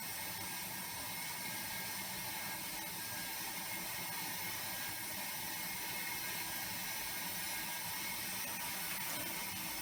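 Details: Air motor used as expander in low-temperature, low-pressure steam rig for waste-heat power, system at about five bar: fast even mechanical chatter under loud steady steam hiss, no knocks or grinding; running normally.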